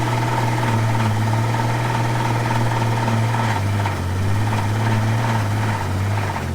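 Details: Old Ford six-cylinder restarted after being killed by sand and water ingestion: low uneven idle with a dull knock and revs sagging near four seconds as if about to stall; internal damage from the ingested debris.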